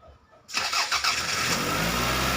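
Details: Toyota Caldina 1AZ that would not start for 5 months due to a blown EFI 20A fuse: after fuse replacement, the engine catches cleanly after a brief crank and settles straight into a steady, even idle with no misses. A healthy start.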